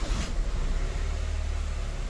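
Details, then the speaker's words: Maruti WagonR K-series petrol engine after fixing code P0108 (MAP/barometric circuit high) by fully pressing in a loose sensor connector and clearing the code; check light off, earlier slight misfire gone: smooth, steady low rumble with no stumble; normal idle. "Light भी चली गई और हमारी गाड़ी पहले missing करती थी हल्का और मिसिंग भी अब नहीं है इसके अंदर"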